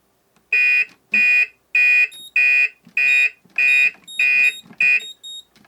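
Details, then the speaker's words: Moose Z1100e security panel in demo briefcase, panic keys pressed: eight sharp, even high-pitched bursts about a second apart, like old six-tone car alarms; siren driver's panic alarm tone. "so that's the different sounds that the siren driver can make as you can hear it sounds like those old car alarms that did the six tones and kind of switch between the different tones"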